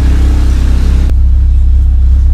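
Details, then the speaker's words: Engine idling at stationary rpm, no throttle, about 7 minutes into an engine flush before an oil and filter change: a very loud, deep, even pulsing rumble from an exhaust leaking at the lower muffler section. "Knalpot saya bocor, pemirsa, di bagian mufflernya yang bawah. Jadinya suaranya kenceng sekali."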